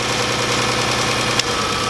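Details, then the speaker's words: The 300 with coil packs being pulled one by one: uneven, lumpy, loping idle with one sharp snap, a dead cylinder; misfire. "doesn't sound great something's going on here this is this is ridiculous"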